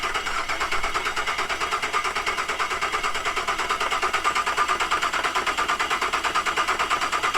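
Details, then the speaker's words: Rodeo engine after a crash with no oil pressure, cranked with coils disconnected to check timing chains: even cranking about three beats a second with light metallic clatter on each beat; owner suspects timing chain guides, unconfirmed. "I think that might have just been the um fing chain guides cuz it had no oil pressure no G or anything"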